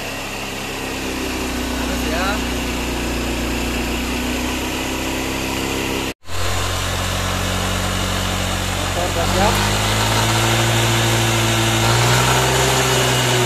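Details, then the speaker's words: Yamaha NMAX scooter after repair, with the cam chain tensioner working and the radiator refilled: even, steady, smooth idle with no ticking or knocking; running healthy. "Suara mesinnya terdengar halus, kan? Sisi kirinya halus."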